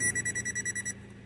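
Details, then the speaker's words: Peugeot Expert van, no crank, no ECU communication from a broken ECU power supply wire: wire tracer gives quick high-pitched bleeps, about twelve a second, briefly near the wire; can mislead onto wrong wires, look for fastest beep. "when you find the same wire like here it's bleep in a way but sometimes you can get the on the wrong wire"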